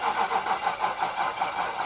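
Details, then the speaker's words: Nissan Titan with rebuilt VK56 engine, first start attempt with fuel pump on, fuel lines just reconnected: starter turns about four even pulses a second for two seconds and doesn't catch; weak battery. "all right we're gonna let this sit for a couple minutes get some more power in this battery before trying again"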